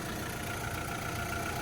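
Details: Fire-damaged VW Caddy truck (ABA swap build) idling; steady, even clean hum with no rubbing noise; normal idle.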